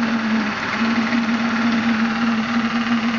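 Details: Maxitrak Graupner 5000 gas-fired steam engine driving a pond water pump, first firing, about two bar, condensate cleared from cylinders; steady even hum with constant steam hiss, no knocks or misses, normal running, pumping well.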